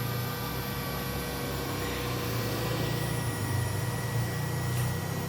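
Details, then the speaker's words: Fuling DZB300 inverter driving a 2.2 kW 220 V three-phase G-Penny ER20 spindle (800 Hz, rated 24,000 rpm) at full speed: smooth, even high whine over a steady low hum, no knocks or wavering; normal high-speed running. "Mari kita atur ke 24 rpm terlebih dahulu. Begitulah halusnya suara yang dihasilkan."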